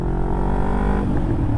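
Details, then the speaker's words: 2007 Kawasaki Ninja 500R twin on its first ride after carb cleaning and new needles: smooth, even exhaust note climbing under acceleration, smooth shifting, no popping or stumbling; normal healthy running. "oh she sounds good shift and smooth brakes are working good"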